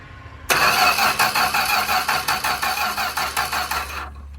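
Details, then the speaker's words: 1965 Plymouth Barracuda slant six, parked since 1994 and hot-wired, with new points, rotor and cap and spark confirmed, plus starting fluid sprayed into the carb. Steady cranking at nearly three strokes a second that never fires: crank, no start. "Nope, still nothing. Sounds like it's just not firing."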